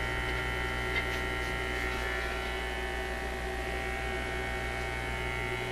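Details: Zenith Y825 vacuum tube AM/FM radio: a steady low hum with a faint buzz, unchanging, getting through the audio after a tube is reinserted; the source is not yet found.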